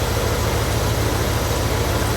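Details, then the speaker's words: 1976 Cadillac Fleetwood V8 idling after fixing hard starting and rich running by replacing the leaking main fuel pump, clogged fuel filter, fuel pressure regulator and five leaking injectors; a steady, even low rumble with no misses, running smooth. "It's running. I mean, just as smooth as can be. And throttle response is amazing for a 1976 car."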